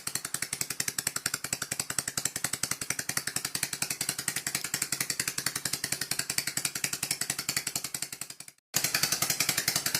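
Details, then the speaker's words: Dismantled scroll compressor, fixed scroll removed, run unbolted at low speed: fast, even, sharp rattling clatter briefly stopping and restarting; owner thinks it is a bit dry as the oil pump only works at high speed; cause unconfirmed. "Give it a bit of a lube up. I think it's a bit dry. The oil pump only works at high speed."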